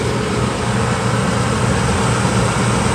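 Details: Carrier furnace after installing a new inducer motor assembly, running: steady, even blower rush with a smooth low hum and no knocks or squeals; furnace operating normally, no noise.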